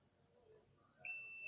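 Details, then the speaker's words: Digital multimeter on continuity setting, probes on each end of a jumper wire: clean, steady high beep without dropouts, meaning the wire is unbroken; a cut wire would give no beep. "यह देखिए beep की आवाज आ रही है। मैं आपका mic जो है यहां रख देता हूं अपना। अब चेक करता हूं ताकि आपको आवाज सुनाई दे। ये देखिए इसका मतलब इसका मतलब हमारा वायर जो है वो एकदम ठीक है। अगर ये वायर कहीं कट होता तो ये बीप नहीं बचता।"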